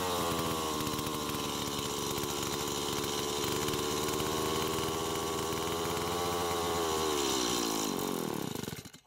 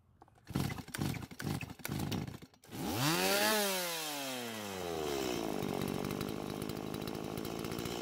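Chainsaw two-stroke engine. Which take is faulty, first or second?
first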